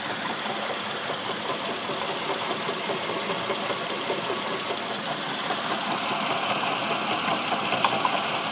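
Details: 1999 Mercedes ML320 engine running with a constant gritty hiss and faint whir over the idle from the water pump, which has play in its bearing; pump was later replaced.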